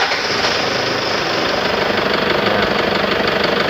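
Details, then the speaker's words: Toyota Tiger D4D 2.5 diesel (1KD/2KD) at cold idle after morning start: sharp, uneven knocking clatter; also white exhaust smoke and smoke from dipstick; mechanic suspects intake/exhaust valve problem, plans valve adjustment and injector removal and testing. "มาด้วยอาการเครื่องยนต์มีเสียงเขกนะครับมีเสียงเขกตอนเช้าสตาร์ทเครื่องยนต์มีันขาวออกพ่อไอเสียนะครับ"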